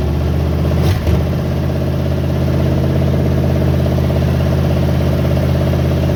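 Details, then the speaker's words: 1972 GMC pickup, worn 350 small-block V8, just revived barn find: deep lumpy idle with loose clatter; smokes heavily, no oil pressure at all, worn engine with low compression. "it's a 1972 GMC pickup truck and it's Rusty she's Rusty she smokes she's got no oil pressure at all but one thing about her she's pretty reliable for for what she is"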